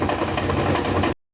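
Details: Brand-new GE washer (Sep 2012) spinning a load of 2 blankets, fine during wash and rinse and silent when empty: a heavy, fast thudding knock over the spin drone each turn.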